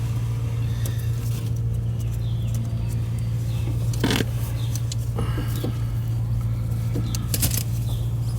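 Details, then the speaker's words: Goodman central AC not cooling: the compressor gives a loud, steady low hum but fails to start. The technician suspects the capacitor, or else the compressor itself. "It's a capacitor. Hear it not start? The compressor's not starting. That might be the capacitor."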